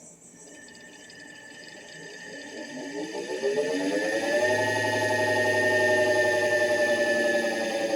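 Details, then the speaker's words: Solectria AMC325 motor controller (serial 1438) on bench test for repair, run in forward with throttle: soft whine climbs in pitch then holds steady and smooth; normal motor run. "put it in forward and then i give it some throttle here nice and smooth it doesn't take much it doesn't take much movement but we should be able to regen down here"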